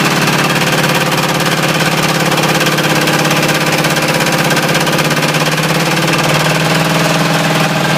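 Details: Ford 351W V8 with a spun rod bearing, abused until it dies: sharp, steady, loud metallic knock about three times a second over the idle; rod knock.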